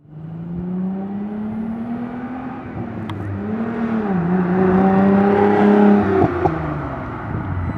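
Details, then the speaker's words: Nissan 300ZX after fuel pump replacement (had kept shutting off after starting; new filter, relay, PTU didn't fix): engine starts, revs rise and fall smoothly with steady exhaust note and exhaust pops, no stumble; fuel delivery healthy. "you can see the fuel pump is working sounds good too when you pass by you can hear the exhaust pop"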